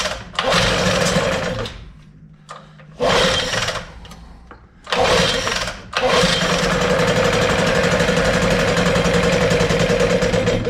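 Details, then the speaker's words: 1988 Johnson 9.9 (actually 15 hp) outboard, cold, good spark; several pull-start bursts sputter and die, then it catches and holds a steady buzz; the blue shows the same fault as on the boat, owner suspects the carburetor. "see all that blue sitting right there that's what was happening out in the boat so there's got to be something wrong something went wrong with the carb"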